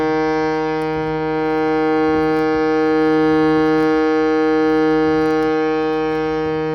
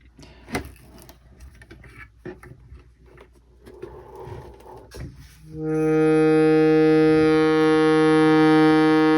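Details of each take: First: Shruti box after fixing a buzzing reed (tines adjusted with a small flat-head screwdriver, plate refitted): a steady, pure reed drone swelling gently with the bellows, with no buzz or rattle left. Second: Shruti box: a steady reed drone with a thin, high ringing buzz from a reed catching on its slot; fixed by filing the reed tine.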